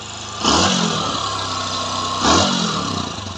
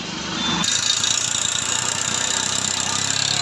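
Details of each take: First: Bajaj Discover 150 single-cylinder after engine service: steady, even idle set deliberately a bit high for a 50-60 km ride, two clean throttle blips settling back smoothly; runs healthy. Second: Bajaj Discover 150 motorcycle at idle: single-cylinder idle with a loose, uneven ticking about three per second; rocker arm found rubbing and worn, identified during engine strip-down.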